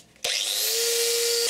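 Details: Budget 650 W angle grinder run to check its armature: motor snaps on and spins up in a fraction of a second to a steady, even high whine with no rattle or grinding; normal running.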